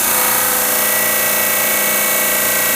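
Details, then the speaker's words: Max Universal 18" 3-phase disk sander on Teco FM50 VFD from single-phase 240 V at 60, pressed hard: loud steady sanding roar, even motor note, no knocks or rattles, slight slowing; normal motor under load. "seems like it's got plenty of power right I can hear it like slowing down a little"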